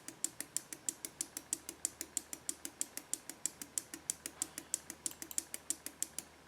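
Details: Husqvarna 562XP chainsaw (came in not running, low compression) on Common Service Tool diagnostic test at about 21 °C: sharp even ticks about three per second, no other noise; the valve is working.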